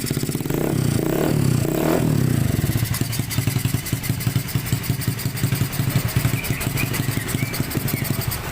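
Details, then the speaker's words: Honda Scoopy FI after repair of a collapsed camshaft bearing caused by a wrongly installed, previously disassembled part, valves adjusted, racing exhaust fitted: a couple of blips then an even, regular putter with no ticking or knocking; normal idle. "Oke teman-teman mohon maaf karena ini pakai knalpot brong atau knalpot racing jadi suaranya Memang agak berisik tapi ini dari suara mesin sudah bersih tidak ada ngetik tidak ada ngelitik dan lain sebagainya"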